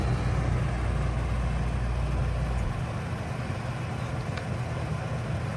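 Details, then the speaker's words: Coleman Mach 3 NDQ roof A/C in a Winnebago Travato 59GL, switched from cool to fan only: the deeper compressor hum drops off with a noticeable sound, leaving an even fan rush about as loud as the Truma with its compressor on; normal. "So there's kind of a big sound when the compressor turns off. And that's fan only. That's about what it sounded like with the Truma with the compressor on."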